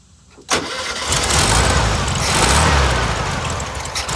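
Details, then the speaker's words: VW 1600 air-cooled engine after adjusting its Solex 34 PICT carburetor with a parts kit (no full rebuild): catches after a brief crank and settles into a steady, even run with no stumble or misfire; normal running, smoother than before. "Running way smoother than it had been. That's impressive."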